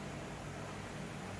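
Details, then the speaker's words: Sony CFS-715S cassette player at full volume after a faulty resistor on the main board was fixed; the right speaker no longer crackles, leaving only a faint even hiss: clean speaker output. "Đấy, bây giờ không còn hiện tượng lẹt xẹt ở loa bên phải nữa rồi."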